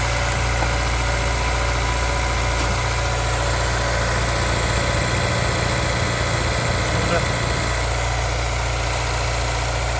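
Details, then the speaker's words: Honda S2000 with 200,000 miles, after plug, valve and injector maintenance and a new pulley bearing: a steady, deep idle for ten seconds with no misfire lope or ticking; a normal idle. "all right new pulley installed let's take a listen should be a bit smoother"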